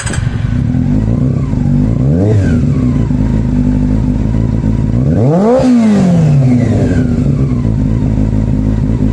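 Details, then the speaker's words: Honda CB400 Super Four, after its problem was finally sorted: the engine blips up and drops back twice with a smooth, even note and no stumble; the owner is adamant all four cylinders are firing and calls it the smoothest it has run. "it's the smoothest that's been whoa that's beautiful"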